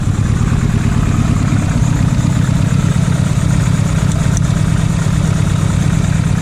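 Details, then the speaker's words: Nissan Pulsar GTiR, first start in 7 years during rebuild, new belts and gasket: steady even idle, no taps, misses or hunting, holds speed itself; running normally, no oil leak. "a good start now it's not dying yeah i mean it's fine oh it's so good"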